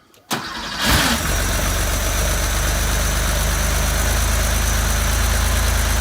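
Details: 1975 Porsche 911 flat-six after sitting 14 years, cleaned tank, new injectors, rebuilt fuel distributor, new warm-up regulator, fuel filter, points, plugs and valve adjustment, leak-down good: short crank, quick catch, then smooth even idle, no misses or knocks; normal start and idle.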